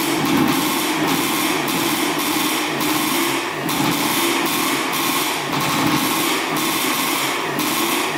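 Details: 1984 Yamaha IT200 two-stroke dirt bike after the carburetor's fuel flow was fixed (carb still leaking some gas, possible air leak): buzzy, steady crackle with a slight surge about every second, now firing and holding an idle.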